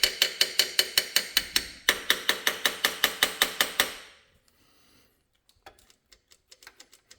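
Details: Old Ford 300 inline-6 truck engine after new pushrod and fuel pump install: even cranking rhythm near three beats a second for four seconds that never catches, then stops; no spark, plug leads not connected.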